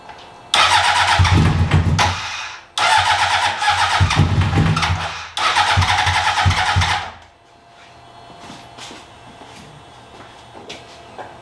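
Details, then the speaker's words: 2003 Honda CBR600RR, repeated start attempts with fuel added, spark, oil and coolant confirmed: three cranking bursts that briefly catch and die each time. "well got gas got Spark it's got oil got cool in it I don't see anything spewing out of it"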